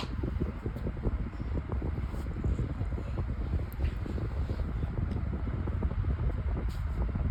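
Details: White Pelonis table fan, long unused, on high speed: dense low rumble with a shaky, thumping rattle throughout; the warped blade is badly out of balance, making the fan shake a lot.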